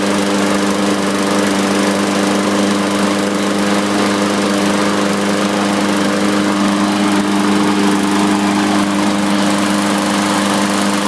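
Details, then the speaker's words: 2015 Yard Machines mower with a Briggs & Stratton 550E engine, repaired with a new flywheel key and a cleaned carb, drones steadily but its speed sags and recovers. The owner notes a slight running issue, suspects the needle valve after carb overflow, and plans a fuel additive. "I'll probably put some additive in the gas it's got a slight running issue"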